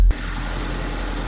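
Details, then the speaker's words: 2006-2011 Honda Civic idling just after a start with a Noco Boost Plus jump starter hooked to the battery: after a short thump, a smooth, even low hum with no misses or knocks; normal, healthy idle. "So I just started the car with no problem with the jump starter hooked up to the battery."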